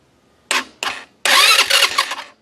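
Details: Chinese 150cc ATV, sat outside for years, after key switch rewiring and carburetor work, fuel on: two short starter whirs then a longer one of about a second, turning over but not yet catching; normal cranking.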